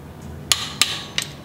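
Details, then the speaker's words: Torque wrench tightening car wheel lug bolts in a cross pattern. One sharp metallic click with lighter follow-on clicks as it breaks over at the set torque. One click is enough; two means over-torqued. "all you need is one click to get this done you go two clicks you've over torqued it one click is all you need"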